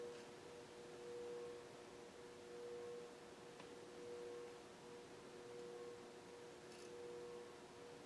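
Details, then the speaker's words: Older 52-inch Fasco Parlour ceiling fan (white and brass, cardboard-box variable speed control) humming quietly with a faint grunting groan that swells and fades about every 1.5 seconds from noisy bearings; fan also wobbles somewhat. "And as you can hear, the bearings are starting to make some grunting sounds."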